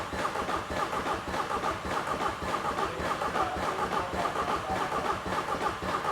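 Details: £100 Seat Ibiza common-rail TDI diesel project car; cranking attempt with oil, piston-ring and block fragments already found under the engine; a labouring, uneven cranking beat around 105 a minute that never catches. Broken piston, holed engine block.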